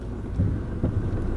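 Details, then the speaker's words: Old Honda driven over bumps after new upper control arms and ball joints were fitted: two or three dull low thuds through the road rumble, so it still clunks and the arms were not the cause. "what are you kidding it's still clunks well that wasn't it"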